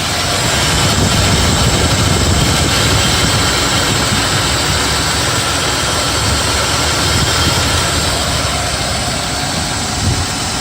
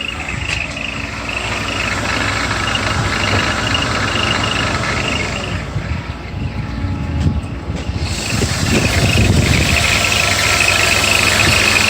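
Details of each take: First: BMW E34 with M50 engine, idling after the belt tensioner mechanism and tensioner rollers were replaced: steady, even hum with no cricket-like chirp from the belt drive. The noise is gone and the engine runs smoothly. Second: BMW E34 with the M50 engine at idle: a high, cricket-like chirp repeats about three times a second; the cause is the belt tensioner mechanism, not the rollers, whose bearings were lubricated without effect.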